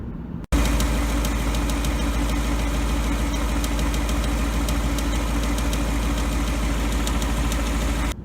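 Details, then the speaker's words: Ticking at idle on a Gen3 Coyote V8 (2018 Mustang GT 5.0 topic), the so-called BBQ or typewriter tick: a light, fast tick of roughly three a second over a steady idle. Ford reportedly calls it normal, and the cause is undetermined. "Doesn't sound normal to me. And I gotta tell you, if I brought my car into Ford ticking like that and they told me that it was normal, I'd be pretty upset."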